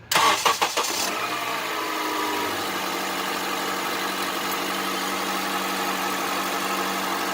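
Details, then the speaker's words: Honda CR-V 2.4 cold start: cranks, catches and settles into steady idle with hard diesel-like clatter on top; loud cold-start knock present since nearly new, not worsening; cause suspected, not confirmed. "Сейчас я заведу свой двигатель. Вот, он послушаем. Действительно стучит очень громко."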